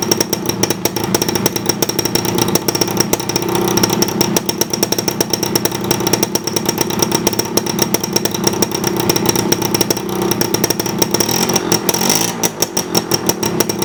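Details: 1987 Suzuki RC 100cc Jet Cooled two-stroke motorcycle, still working well: rapid, even two-stroke buzz with a crisp, steady beat and no stumbles or misfires. Normal, healthy running.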